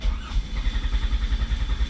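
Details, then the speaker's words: Chrysler 200, before repair: steady starter churning at about seven pulses a second, engine never catches; crank no-start with no power to the ignition coils, fuses okay. "nothing is a turnover so I don't know I'm gonna tell you about that layer right here so it seems like he's not getting any power from the computer that goes to it and all of the fuse are okay"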